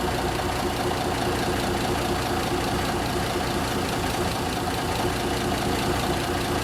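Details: 1974 Kenworth W900A, Cummins NTA420 diesel, first start after three years sitting, inside a building: big diesel catches and settles into an even clatter with no misses or odd knocks. Healthy cold start.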